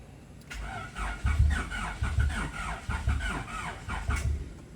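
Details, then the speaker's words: Freshly built Honda Civic VTi D16Z6 with Crower stage 3 cam and ported Skunk2 intake, on initial startup after compression test: starter churns steadily for several seconds, engine never catches; cranks but won't start. "okay it's not starting let's try it again okay now it's still not there"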